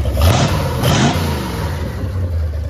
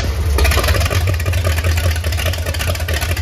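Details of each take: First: MerCruiser 7.4 V8 marine engine, starboard side, after removing number one piston and freeing piston rings: two clean throttle blips settling to smooth even idle, no stumble; running a lot better, healthy. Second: MerCruiser 7.4 V8 marine engine, starboard side, freshly started after removing number one piston and freeing stuck rings, Marvel Mystery Oil burning off: heavy uneven loping idle, lazy, timing possibly set too far back and a part found loose.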